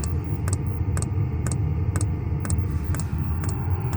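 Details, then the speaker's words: Vevor 8000 BTU diesel heater newly installed in a truck camper running normally, steady soft combustion roar with a crisp evenly spaced fuel-pump tick about twice a second. "The heater is actually running now. You can hear the fuel pump ticking."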